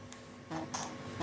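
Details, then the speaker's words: Nintendo Switch Joy-Con HD Rumble: short bursts of thin, high buzzing rattle between quiet gaps from the vibrate motors in both Joy-Cons; sounds similar attached or detached, so owner attributes it to the Joy-Con motors themselves. "So it's something to do with the vibrate motor inside the Joy-Cons themselves, because even attached to it, or detached from it, there isn't a lot of difference in sound."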